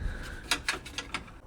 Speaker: now it's moving a bunch. You hear that? It's like the gear moving in and out.